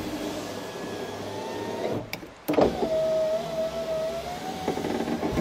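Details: Ford Ka (first generation) power window after lubricating the runners with silicone and greasing the rail: click, then smooth steady motor whine with no clunking through travel; the former loud clack is gone, window works normally.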